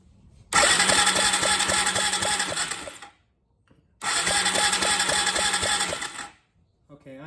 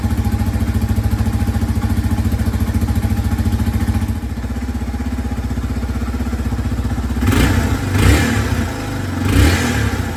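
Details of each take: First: 2003 Yamaha TT-R225, spark plug out and grounded for a spark test: two bursts of steady starter whirring, each about three seconds, no firing; cranks but won't start, fuel present but no spark. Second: 2003 Yamaha TT-R 225 single-cylinder after no-spark repair (new stator, ignition coil, plug cap/boot and spark plug): fires right up, a little cold-blooded as expected, even thumping idle with clean throttle blips that rise and fall smoothly; normal start and idle.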